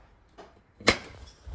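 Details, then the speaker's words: Main Eco Elite gas boiler, dead with no power, during component testing to find what blows its fuse: single sharp pop from the quiet boiler as the PCB fuse blows. "I know it's gonna pop I know roughly when it's gonna pop but it's just not knowing exactly where I'm always supposed to jump out of my skin as you're clearly about to see now"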